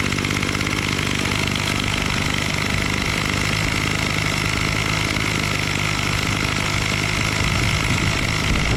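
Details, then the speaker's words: Bolens MTD BL-160 25cc two-stroke trimmer after cleaning a debris-blocked carburetor mesh, started on half choke: buzzes at idle with slightly uneven beat, dies once throttle applied; owner suspects mixture screws need adjusting. "okay so it idles at uh when the choke is almost completely closed then when you open it stayed idling but then once you tried the throttle it uh died out"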